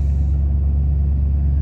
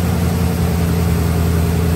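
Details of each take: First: 1993 Ford F-150, about 110,000 miles, at startup: deep lumpy uneven idle as check-engine light flashes codes 998 (limp mode) and 122 (throttle position sensor); failed TPS has it in limp mode, part on order. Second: 1993 Ford F150 that previously idled poorly, after reading and repairing the check engine light fault: a smooth, even low idle that holds steady with no stumble or surging and no engine light; normal idle.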